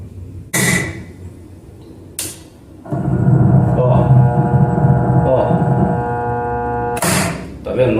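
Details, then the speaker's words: Washing machine too weak to agitate or spin, retested with its original run capacitor, motor cooled: steady low hum for several seconds between clunks but no turning, high current draw; failed run capacitor. "vai ó hoje ainda ela tá um pouquinho melhor porque o motor esfriou E aí ele volta a plena carga Ó mas não vai"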